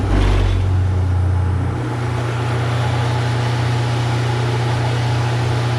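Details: Newly installed 1 HP Waste King garbage disposal (replacing 1/2 HP Badger) running while a full sink of hot water drains for leak check: smooth, steady motor hum with rushing water, no grinding or rattling; normal.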